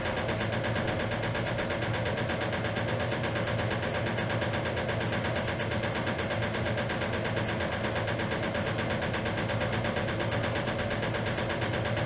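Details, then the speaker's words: 1956 Whirlpool Imperial washer during spin: steady motor hum with a loose, uneven knock around 85 per minute from the rear motor access plate not refitted properly; harmless, operation unaffected. "about that knocking the sound that you hear that is actually the rear plate of the machine that says I never managed to get the motor access plate fitted back on properly from this machine"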